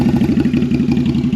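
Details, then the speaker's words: Twin-cylinder bobber motorcycle with Cobra exhaust after carb sync, started without choke; even, steady lope at idle with no misses or stumbles; normal idle, though it later cuts out flat out in 2nd/3rd gear around 60 km/h. "Fires right up. Let's go take it for a ride. Alright, so idle's fine, accelerates pretty great, I think way better than before, certainly has power,"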